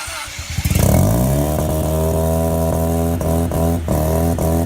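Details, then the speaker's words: Factory Five 818 with 13B rotary, first startup: catches and revs straight to a steady, high, buzzy idle around 3,000 rpm; AEM Infinity ECU did not recognize the throttle body, which was not hooked up right. "now in that video as you can hear she was just screaming the throttle body wasn't wasn't hooked up right"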